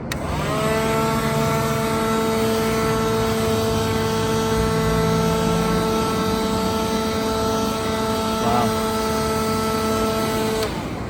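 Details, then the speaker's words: Second-hand pawn-shop leaf blower, rated 120 mph, tested in the open. Steady high fan whine holds an even pitch with no surging or rattle; runs strong and healthy; normal operation. "That should be more than enough to blow away stuff on blow away dirt and dust and stuff in a trailer, especially in a confined. Like, this is in an open area, and it was able to do that much."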